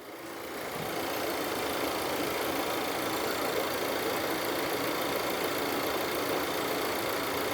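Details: Audi Q3 engine rebuilt after a flood hydrolock destroyed the block, with all remaining parts refitted and AC off: quiet, smooth idle with a soft even hiss and no knocks or ticks, running normally.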